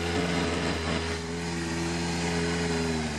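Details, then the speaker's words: Cold carbureted bike at -3°C: with the choke eased back the idle drops to about 1000 rpm or below, and a little more choke brings it to about 1500 rpm, the balance point. Steady, even fast idle with a smooth beat; runs cleanly on choke. "If I give it a little more choke, it picks up to around 1500 because that's where the ideal point is, the balance point."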